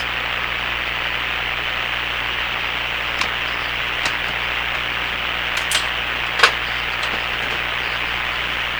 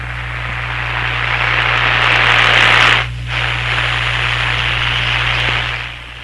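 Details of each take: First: Hammarlund SP-600 receiver after replacing the power-supply electrolytic capacitors, brought up from 100 to 117 volts: a steady, even hiss with a few faint clicks and no hum or crackle; normal background noise. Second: Hammarlund SP-600 radio after power supply capacitor replacement, run at reduced voltage: steady low mains hum under static hiss, constant; owner suspects the audio system hookup, not the radio, is the hum's source.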